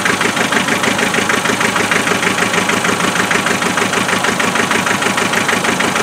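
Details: 2.5 NA diesel cold start after glow plugs, idling with steady clatter about three beats a second and uneven shake; misfire always on number three cylinder.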